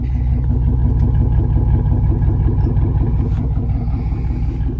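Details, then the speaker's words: Monte Carlo SS V8 with 129,000 miles, startup: strong steady loping beat with occasional sharp pops on revs; owner unsure about the popping but says it sounds good. Engine popping. "Sounds good. I don't know about the popping, but I mean, it sounds good."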